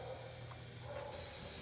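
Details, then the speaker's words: Small block Chevy engine on leak-down test with pressure set, another cylinder around 13% leakage: a soft, steady air hiss as cylinder number one shows a little more leakage; the source can't be pinned down. "oh we've got a little bit more leakage on number one I don't know if you can hear"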